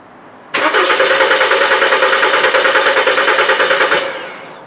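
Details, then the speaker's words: 2007 Volkswagen Jetta 2.5L: steady cranking at about three turns a second for three seconds with no firing; no check-engine light, cooling fans on high. Crank-no-start from an ECM with no communication. "you can see doesn't start give it a sec the fans will come on and again so good sign of no communication"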